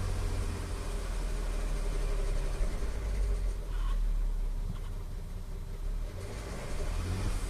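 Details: Audi A3 3.2 at idle: light, uneven metallic clatter/rattle over a steady idle, said to come from the timing chain case and vanish above about 1500-2000 rpm; owner wonders if cam adjusters are also faulty besides chains, tensioners, guides.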